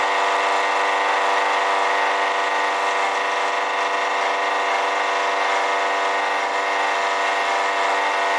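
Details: Honda EB1500x generator running: steady high-pitched whirring drone at constant speed, noisy and louder under alternator load; owner suspects a bad alternator bearing.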